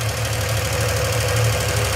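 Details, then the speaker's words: 1971 Triumph TR6 six, running after 20 years laid up. Steady idle with a fast, even ticking top-end clatter. The rocker shaft's oil hole, fed down the shaft's center, appears not lined up. "is the oil feed and it goes down the center of the rocker shaft and oils each one of them."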